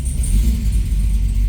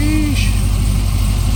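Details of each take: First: Supercharged C6 Corvette on the lift, just started after build, fuel pressure about 52–56: deep smooth V8 rumble held at moderate revs with a faint high whine on top; pulls cleanly, sounds healthy. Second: Supercharged C6 Corvette, first start after build on a base tune with injector data for the new MAP sensor: deep lumpy idle with an uneven pulse around one and a half beats a second, somewhat rough and unsettled; cause suspected, not confirmed.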